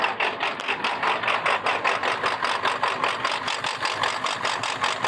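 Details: 1999 Ford F-450 7.3 Power Stroke diesel idling with a loping, uneven clatter surging and dipping a couple of times a second; rough idle and touchy throttle, cause unknown.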